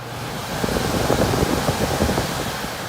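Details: ICP Heil heat pump air handler after blower motor replacement, old blower wheel cleaned rather than replaced: airflow swells as the fan starts, then settles into a smooth, even rush with no rubbing or rattle; normal blower operation.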